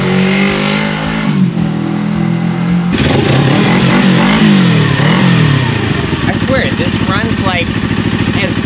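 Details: Old motorcycle, previously not running, after carburetor cleaning, new sponge air filter and battery install: revs up and down cleanly, then settles into steady even beat with no misses or pops; runs like new, normal running.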